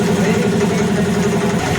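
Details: Honda Dio BS6 scooter with running-off complaint, fuel pump and filter removed and throttle body cleaned: loud steady single-cylinder idle with even quick beat, no misses or hunting; normal idle.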